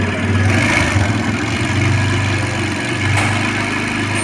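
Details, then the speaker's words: TVS Raider motorcycle idling with busy mechanical clatter over the exhaust beat: timing chain noise reported by the customer; the chain was already replaced once and is being eaten again, so the crankshaft is to be replaced. "TVS rider, engine noise, chain noise, चैन में आवाज़ है, customer की voice है, engine में आवाज़ आ रही है।"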